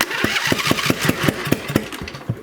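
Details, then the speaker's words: Craftsman lawn tractor that ran when picked up, now won't start: slow uneven cranking with sharp pops about every fifth of a second, popping back through the intake; engine won't catch. "it seems like it's popping through the intake"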